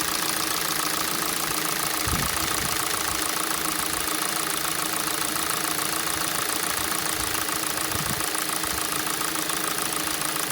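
Cold engine idles with a steady, fairly regular ticking knock, about two per second, over the running noise; cause unclear.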